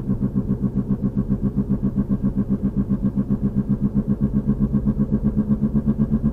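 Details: 2003 VW Passat FWD, 180,000 miles, driving: deep boom-boom about four times a second, quickening with speed, louder when steering loads one side; started about three weeks ago. Passenger CV boot is torn but no clicking. Cause unknown.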